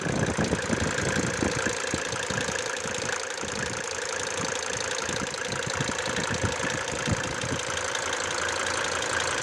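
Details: Mercedes W124 with OM602 turbo diesel at idle: loud clattering knock about four times a second over the engine note; diesel knocking at idle, source undetermined.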